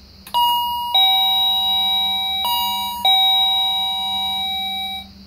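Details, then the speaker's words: Wireless doorbell chime box tested indoors after pressing the button: clear two-tone ding-dong like a standard chime and the red LED flashes when it rings, so the chime works normally. "sounds like the chime like the standard chime boxes the LED flashed when it rings"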